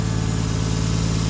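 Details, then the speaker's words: Toyota 1JZ engine warming up after fixing cooler piping, idling at about 750 rpm; smooth, even low idle with a steady pulse and no knocks or ticks; a little engine rock is blamed on the mounts; normal idle. "we're holding like 750 rpm which is good on idle sounds good"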